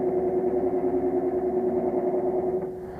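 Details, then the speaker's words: Condenser fan motor (half horsepower, 56 frame) on a 3-year-old pool-room dehumidifier: steady mid-pitch drone with a throbbing pulse about three times a second, still noisy after fan blade removed and motor bolts checked tight; bearings look shot, motor needs replacing. "got all the bolts tightened up on the motor which they weren't loose but you know let me turn the disconnect on there get some power but it still makes noise so that motor's got to be replaced"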